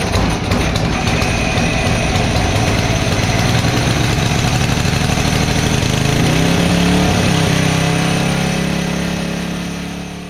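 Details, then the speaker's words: Tecumseh-engined Devilbiss Powerback 5,250 W generator, first start after coil and carburetor change with new fuel filter: engine fires and drones fast with climbing pitch, overspeeding well above governed rpm; fixed by turning throttle adjustment screw counterclockwise to slow it. "The RPMs was way too high in the previous scene, so what I had to do is make an adjustment to the throttle to allow the engine to rotate slower."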